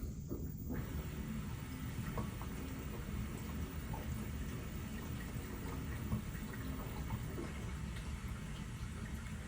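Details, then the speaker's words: LG WM4000HWA front-load washer, Allergiene cycle with steam, pre-wash fill: soft steady hiss and low trickle of water entering through the back of the drum under a quiet hum; normal fill. "you can tell by the quieter hissing of the water and little Trickle and we are filling through the back of the drum"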